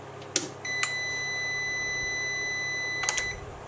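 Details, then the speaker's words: Hybrid inverter after repair of a degraded PSU transistor that had fed only ~4 V instead of 15–17 V to the PWM controller, powered from 220 V mains with the battery connected but switched off: one long steady high beep, a normal start-up. "Так, він увімкнувся, але є індикація, що він не бачить батарею, тому що батарея не увімкнена."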